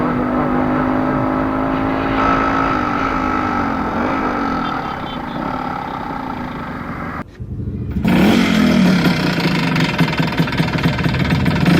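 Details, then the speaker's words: Suzuki Shogun two-stroke revving with a harsh metallic rattle, higher-pitched than piston slap, from a failed connecting rod bearing that seized the engine. "so i have a small clip for you where my suzuki shogun got seized connecting rod bearing failure ratios"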